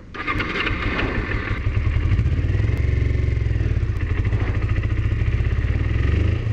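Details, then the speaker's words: Used Kawasaki Ninja 250R, apparently dropped on both sides, started on choke during a purchase inspection; catches then settles into an uneven stumbling putter, rough running, thought to need a tune-up; cause unclear. "This bike really needs a tune-up. This bike sounds sick. Like it's..."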